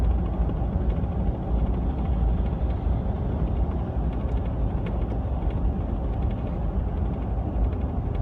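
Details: New LEER Bulldog canopy on a 2015 Ford F150 while driving: constant loose, clattery rattling over low road rumble, absent with the canopy removed; canopy rattle persisting after a LEER repair, exact loose part unknown.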